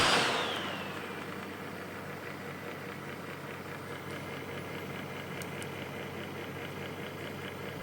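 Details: Computer fan with a dry bearing making a steady, rough droning growl with a faint fast flutter; fix is to remove the fan, scrape off the glued plastic and oil the bearing with machine oil using a needle.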